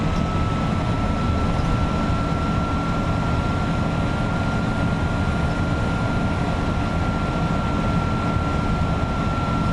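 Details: Front-engined Iveco 170S28 Italbus bus cruising at about 2000 rpm, heard from the cabin: a steady, strident turbo whistle over the low diesel drone, caused by a turbo fault present since the factory.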